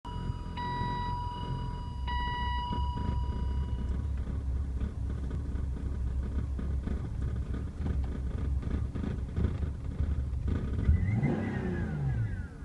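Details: BMW E36 M3 on cold start: rough, low idle bouncing below 500 rpm and dipping further when revved, occasionally stalling; owner suspects a vacuum leak; camshaft position sensor and valve cover gasket recently replaced, PCV valve replacement pending.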